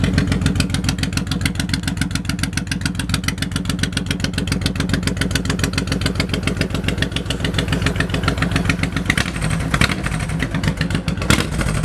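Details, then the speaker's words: 2008 Honda VTX 1800F with 3,987 miles, just started: big twin settling into a steady, even lope around three and a half pulses a second, no knocks or ticks; sounds great, normal idle. "Go ahead and start it up. Low miles, 3987. 3987. Sounds great."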